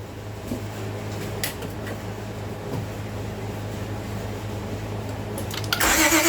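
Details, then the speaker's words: Towed-in car with water-contaminated fuel, cranking on a pressurized external fuel source with fuel treatment cleaner: starter spins steadily about four beats a second but never catches; more gas to be added to dilute the water. "Slowly but surely. So I'm gonna check the fuel source after this, but after it runs out the fuel, I'm gonna add more actual gas in there to dilute the fuel."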